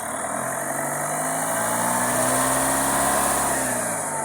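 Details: New low-mileage Mahindra Thar ROXX revved in the workshop; customer complained of a booming vibration from the engine compartment when picking up from 30-40. With the loose pipe held, the engine runs with an even hum and no rattle; released, the noise returns.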